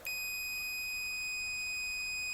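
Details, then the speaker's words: Multimeter on the continuity setting with alarm, probes touched together before testing the Bissell PowerFresh steam mop's thermal switch: a steady high-pitched tone comes on instantly and holds unbroken, the normal continuity beep. "Now my meter is going to be set on a continuity setting right here with the alarm. So when I touch the two together,"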